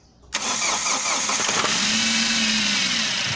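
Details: MG6 with 15E4E engine, previously cranking with no start from no ignition coil power: sharp catch right away, then a steady hissy idle that holds without stumbling; engine starts and keeps running.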